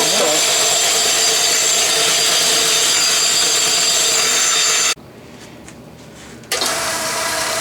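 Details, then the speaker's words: Restored Mead band sander after the belt guard was refitted with two screws: steady, even high-pitched hum with no rattle or vibration. "you see there aren't any rattles I don't see any vibration either which kind of surprised me"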